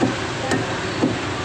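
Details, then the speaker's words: Mitsubishi Outlander EPS steering rack after repair of worn, loose left rack bushing: three firm dull taps on the rack with solid sound, no dry tinny rattling knock as before; bushing now tight. "bunyinya padat Ya udah padat gak ada bunyi lagi"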